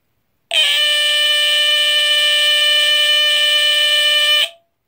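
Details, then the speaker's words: Vintage GE Home Sentry 8201-001 smoke detector (about 1974, 12.6 V unit, made by EI Electronics), horn test; a continuous piercing high-pitched Edwards horn buzz for about four seconds, then a brief fading ring; the alarm sounds correctly. "so as you can hear it's pretty high-pitched I believe it is definitely a lot higher pitched than this one the AC model that I made a video of a while ago but it's a really cool sound it's definitely the classic Edwards horn sound that really high screechie buzz"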